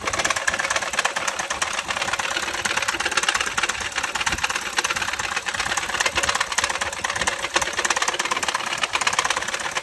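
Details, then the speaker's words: Kia Rio 1.6L GDI engine with failure, started before teardown: sharp metallic rapping at about three per second, loud over a thin idle, with chatter felt through the engine. Rod knock from a failed crank bearing. "I'm gonna start it up. You hear that? That is the sound of the dying horse. That one is bad. That's how it's sounding right now."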